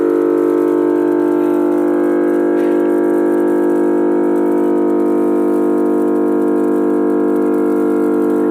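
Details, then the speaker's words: 315 MVA transformer (ICT1) at a 400 kV substation, just energised after maintenance: steady, even mains hum with clean overtones, no crackle or buzzing; healthy transformer humming normally. "अभी जैसे ही line को अपन charge करेंगे वैसे ही transformer का जो sound होता है, humming sound, वो आना स्टार्ट हो जाएगा।"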